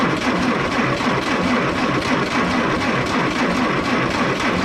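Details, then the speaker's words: M718A1 ambulance Jeep cranking with diesel in the petrol tank: labored, uneven churning about once a second as the engine turns over but never catches; no start. "all right now let's see how bad she don't want to start with all the diesel fuel sitting everywhere else"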